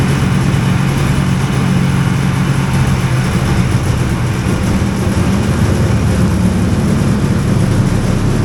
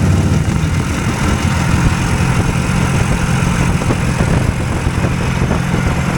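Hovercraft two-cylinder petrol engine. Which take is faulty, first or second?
first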